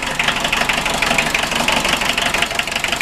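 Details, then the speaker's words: 1980 VW MK1 Rabbit 1.5L diesel, alternator charging only 12.23 V: uneven clatter about three beats a second with sharp ticking up top; rough idle, owner unsure if normal, suspects injection pump timing slightly off, unconfirmed. "I don't know this thing kind of runs a little rough too unless that's how they are but I don't know if the injection pump timing is a bit off or what"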